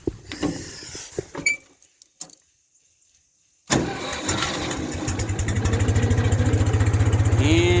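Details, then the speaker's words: 1974 Ford 3000 gas tractor, revived after water-locked cylinders, new sleeves and muffler: cold start, a few clicks then catches at once into an even steady chug; healthy start. "we'll see how quick she starts she's usually pretty good i don't think you'll have to choke it"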